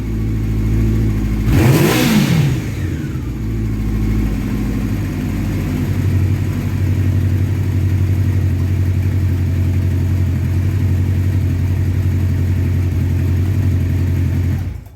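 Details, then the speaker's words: 1984 Honda CB700SC Nighthawk after carb cleaning, warm, sooted engine being revved to burn deposits out of the pipe; one quick throttle blip then even steady running without misses or knocks until shutdown; smoke clearing, running well. "so I'm going to start it up and give it a couple revs here you'll see the the stuff burning off and coming out of the pipe"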